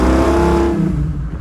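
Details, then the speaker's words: 1936 Chevy coupe with an SBC 350, automatic kickdown cable just adjusted, floored in 2nd on a test drive: the engine roars, then the note drops and settles as it kicks down cleanly to 1st; kickdown working properly. "Okay, so 2nd Kickdown seems to work quite nicely."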